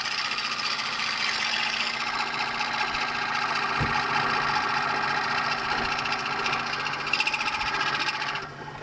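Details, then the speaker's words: Lathe machining a gear knob/gear selector for a Kawasaki GT550 bobber: harsh, high-pitched rattling scream as the cutter bounces, leaving an uneven finish; tool chatter. "Sounds horrible, doesn't it? Let's have a look at that. That's not very even at all. Should be able to neaten that up with just a bit of um wet and dry. But yeah, it's pretty chattery."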